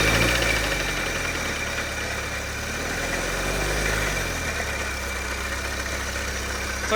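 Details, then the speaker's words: Old propane-converted Ford Pinto engine driving a Peerless well pump, sat about five months, fresh oil and filter, started at full throttle: uneven, lumpy idle smooths into a steadier hum once oil pressure builds; coolant then leaking from several places. "little bit to get oil pressure but now I can hear it smoothed out"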